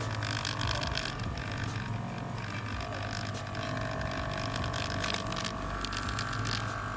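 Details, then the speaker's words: KADA gas compressor builds no pressure: steady mechanical whir whose noise rises as speed increases. "Pressure भी नहीं बना रहा और आवाज़ भी कर रहा है। जैसे हम इसकी स्पीड बढ़ाते हैं तो इसकी आवाज़ भी बढ़ जाती है।"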